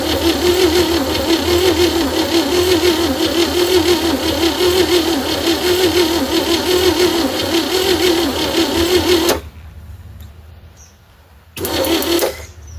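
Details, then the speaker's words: 1960 Chevy C10 235 six after 40 years sitting, old plug wires and battery fitted, good spark: even, quick chug for about nine seconds, then brief second crank, never fires; cranking slowly, carburetor possibly dirty, cranks no start. "I might get some nastiness in there, but I would think something would fire up. Well, she ain't cranking very fast."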